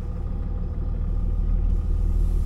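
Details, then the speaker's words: Dodge Ram 3500 with a rebuilt Mercedes G56 manual transmission (mouse damage) and new clutch, on the road: steady low rumble building slightly, no whine, grind or knock; the noise it had since almost new is no longer heard. "I think it's good seems good things always had a noise in it since it was almost new and I think it's I don't hear it now"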